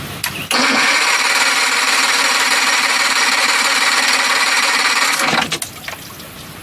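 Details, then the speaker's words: Johnson 60 HP outboard with the kill switch cut, the neutral safety switch jumped and fast start set manually: steady fast cranking for about five seconds with no firing. Found to be a loose ground wire. Cranking, no start from missing spark. "so the kill switch is cut it's not doing nothing the motor is cranking but not starting"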